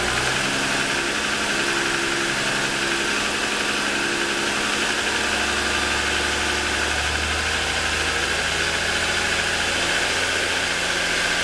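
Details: 2007 Lexus ES350 V6 parked with hood raised, cold idle within about 10 minutes of a cold start: a busy, hollow clatter over the steady hum; pronounced piston slap, worsening over 2.5 years of ownership.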